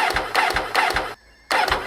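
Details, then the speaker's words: Motorcycle unridden for over six months with flat battery, before using a RavPower 14000mAh booster. Short strained cranking bursts, about four slow turns, a pause and another attempt that never catches; no start because the battery lacks power. "Non, ça ne veut pas démarrer. Donc il n'y a pas assez de puissance."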